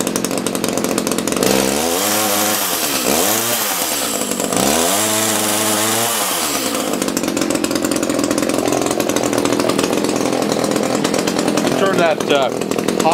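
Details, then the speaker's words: Echo CS-330T top-handle chainsaw, unused for years, hard starting, leaking oil: revs up and down, top end strained and flat with high-speed screw backed out. Running rough at high speed; likely starving, probably needs a carb kit. "speed adjustment out a little sounds like it's starving at a high speed probably needs a carb kit"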